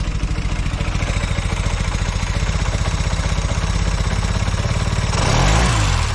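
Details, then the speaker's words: Velocette LE motorcycle after clutch and points tweaks, carb needle in middle position: steady even low putter at idle with no miss or tick it used to have, then a brief rev blip; running smoothly. "Seems a lot better. It sounds like it's running smoother at idle as well. It always used to have a little bit of a miss or a tick to it sometimes. So that seems a lot happier."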